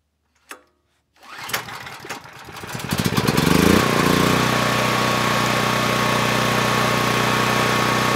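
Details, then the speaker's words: PowerStroke 6000 W generator, about 12 years old, after carburetor cleaning, load-tested with two space heaters on Kill-A-Watt; pull-start cough, catches, revs up, holds steady governed drone with no hunting or misses; normal running under load. "now i know the carburetor runs the engine well but i haven't tested it under load so we'll do that now i want to see what the voltage and the hurts are both with and without a load to make sure that everything is good"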